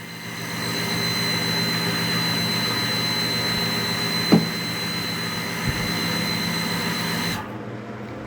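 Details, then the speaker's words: Water pump with press control after repair, pressurizing against a closed tap: an even hum with a high whine builds for several seconds, then cuts off cleanly and stays off. The pressure switch is working properly. "Let's turn on the pump and we're going to close the valve so that it pressurizes the system"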